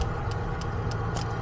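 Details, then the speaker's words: 1990 Mazda Miata with 1.6-to-1.8 engine swap, no-start; scan-tool injector test with all injectors selected: crisp ticks about three per second over a low hum from the one working injector, others silent. "So I'm gonna select all, and that should actually run all the injectors. So we're gonna go here, and we're gonna listen, so you can hear this one injector clicking."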